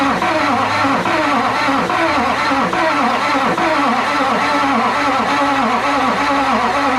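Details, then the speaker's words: 2005 Chevy 2500HD 6.6 LLY Duramax turbo diesel on a cold day after head gasket replacement and reassembly, cranked by jumping the starter: slow, labouring crank with about one heavy compression pulse a second and no firing, from weak Interstate batteries; slow cranking. "Well, definitely sounds like crap, but it'll be fine. They all do that. These interstate green tops are letting me down."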